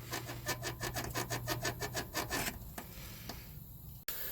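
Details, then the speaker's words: 2019 Toyota Corolla 1.8 L, front lower control arm bushings levered with a pry bar: rapid rhythmic squeaking, about three strokes a second, from dry-rotted bushings; driver's side squeaks more than passenger side; squeaks over bumps. "uh push up or down it'll make a squeaking noise they uh they should not make a squeaking noise or anything should not make any noise at all it should be quiet"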